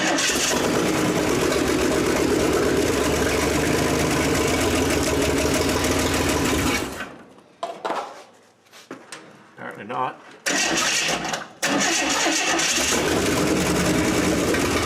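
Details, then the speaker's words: 1927 Hudson after a new starter cable, points and timing unknown, no fuel reaching the carburetor: repeated cranking with a few sputtering catches, then silence; turns over and fires briefly but won't keep running. "okay we're not getting fuels but it runs you know"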